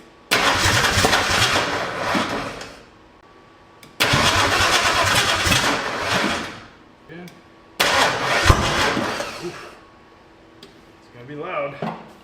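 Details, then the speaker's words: Ford 360 FE turbo V8 in F100 during cam break-in: three rough cranking bursts that catch, stumble and occasionally try to run backwards; plug wires in wrong firing order for counterclockwise-rotating distributor, later rewired. "Okay, you probably noticed when we were trying to crank this thing that every so often I would actually try to run backwards. That's because the firing order was wrong."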